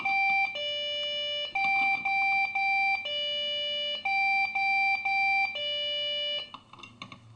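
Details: Desktop PC that suddenly won't boot: two-pitch electronic beeps in repeating groups of four, about two a second, cycling without pause. Possibly memory-related, not confirmed. Repeating POST beep code, no boot.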